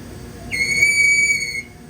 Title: Mickey Wrapper Squeaky Sound.